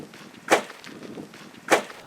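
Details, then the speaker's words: 2016 Toyota Land Cruiser off-road on its first trail: two sharp hard bangs about a second apart over quiet trail noise as the suspension bottoms out on a fairly small rock. "that's the sound of the Land Cruiser suspension smashing into a fairly small rock it's also the sound of disappointment that's all it takes to bottom this thing out"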